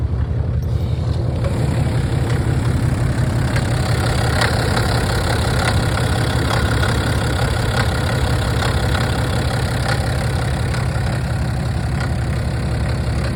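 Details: BMW 330d F30 diesel idling cold with a heavy, rough clatter pulsing about twice a second over the engine note; cold engine noise, source not identified.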